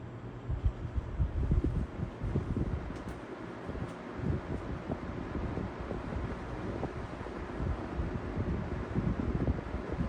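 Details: Edison Comfort Conditioner box fan (owned since 2007) after applying glue dots to shaft for slipping hub: soft even whoosh with low rumble, no catching or surging; blade hub not slipping, normal running.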